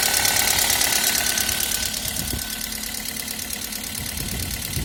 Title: Стук клапанов 1ZZ